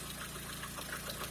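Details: 2011 Lada Kalina at idle after the leaking oil pressure sensor was replaced (warning light had come on): steady, even idle with a light regular valve tick over a low hum, good oil pressure; oil changed 1,000 km earlier.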